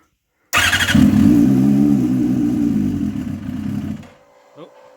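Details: Motorcycle at its first fire-up on methanol, started on RC car batteries in a cold garage with the wideband not yet warmed up. It catches at once, runs rough and uneven at a fast idle for about three seconds, then dies, running lean.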